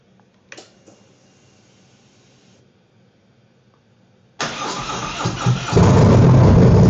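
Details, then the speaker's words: 2021 Harley-Davidson Road Glide after installing and fully charging a new NOCO NLP30 lithium battery: silence, short starter crank, then the V-twin catches cleanly into a steady, deep lumpy idle; normal start, volts reading good. "So now that that's done, we're gonna fire it up, make sure we're good to go, and no issues."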